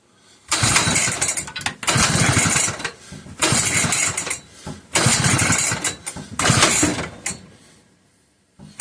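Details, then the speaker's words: McCulloch 1-52 chainsaw, freed up with strong compression and spark: five rasping pull-cord strokes, engine never catching; cranks but won't start, owner suspects it is flooded (spark plug later found wet). "I know this thing has spark. So, it's just probably flooded with a lot of fluid. So it may take a little while to get it to pop off."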